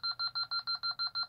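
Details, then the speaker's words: ADT SafeWatch Pro 3000EN alarm panel, burglary-zone pull station activated while armed: fast, shrill keypad beeping at about six beeps a second warning to disarm before the panel goes into alarm. "that's basically saying hey you better come now and I'll and disarm this or I'm gonna go into alarm and you're gonna be mad"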